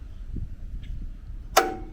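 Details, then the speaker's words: Frazer tiller magneto being installed and timed: quiet background, then one sharp snapping click with a short metallic ring as the impulse coupling trips exactly on the timing mark, where ignition occurs. This is normal. "if you watch you'll hear for the impulse click and that's when it the ignition happens"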